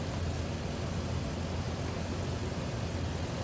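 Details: 2004 Lexus GX470 V8 after fixing a high-pitched squeal, blamed on a weak serpentine belt tensioner: low, smooth idle, no squeal or chirp from the belt area, accessory drive sounds healthy.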